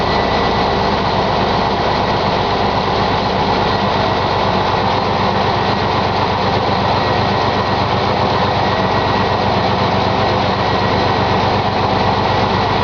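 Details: 1999 Chevy S-10 ZR2 at cold-start idle: steady idle with a fast, even tapping knock under the engine note; cause unknown.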